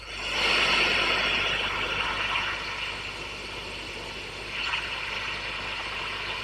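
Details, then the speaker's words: Customer's valve amp, controls at five and then dimed, listening for pops and crackles at idle: steady soft hiss, no pops or crackles. Slight background hum at full volume; hiss usual for this amp style. "okay enough of that um so sound all right to me usual amount of of hiss for an amp of this particular um ear style I I've got everything dimed there so I'm exaggerating how bad it is"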